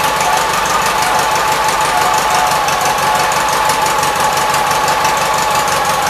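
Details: 1976 Gravely 816 single-cylinder engine giving an even, steady thump with a clean exhaust note and no misses or rattles, after a missing fuse and a wire jammed in the fuse holder were found; normal running.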